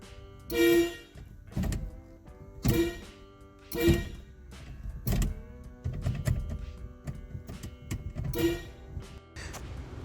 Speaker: This vehicle's horn wiring started shorting out on the shifter column causing it to honk whenever they try shift the selector.